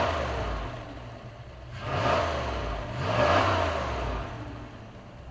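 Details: 1997 Dodge high-roof van, 360 V8, automatic, just started after sitting 5+ years: catches, revs up twice and settles, smooth and even with no knocks; normal revving.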